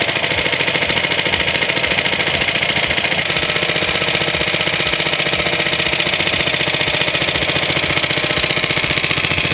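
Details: Suffolk Iron Foundry type 98G14 tiny four-stroke sidevalve single-cylinder, Coca-Cola-bottle size: fast, even, crisp firing about four beats a second, buzzy and bright with no knocks; normal running.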